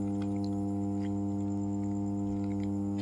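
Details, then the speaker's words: ABB 50 MVA 33 kV power transformer energised: steady even low hum with firm buzzing edge, no crackle or rattle; normal transformer humming. "ট্রান্সফর্মারের মার্সেলিং কিসক এবার বেশ ভালো তীব্র শোনা যাচ্ছে humming sound এখন আমরা যে সাউন্ডটা শুনতে পাচ্ছি সেটাই হচ্ছে আমাদের ট্রান্সফর্মারের হামিং সাউন্ড।"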